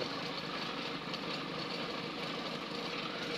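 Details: Freshly overhauled 4TNE98 diesel on a temporary test stand, open exhaust, leak-test run: steady even rattle, no misses or knocks; smooth healthy idle.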